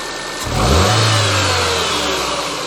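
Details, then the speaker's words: Car after brake drum, shoe and wheel cylinder work, started to check: even idle, then a quick rev that climbs and falls back cleanly with no misfire or stumble, smooth as a whisper; owner suspects a slight intake air leak. "just start it up just see how it is smooth as a whisper give it a bit of gas and"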